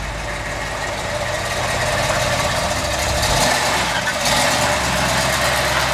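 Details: Truck pulling away on light throttle: deep, steady rumble firing evenly with no knocks or misses; engine sounds healthy.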